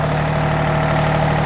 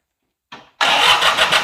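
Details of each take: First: John Deere 855 diesel tractor, barn rescue, started and running properly: it settles into a steady, even low idle with a smooth hum and no knocks or misses, a normal idle. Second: John Deere 855 diesel tractor, three injectors, barn rescue: cranks, catches briefly and dies, then restarts into an uneven, lumpy idle while injectors are bled; rough idle persists, fuel shutoff not fully open.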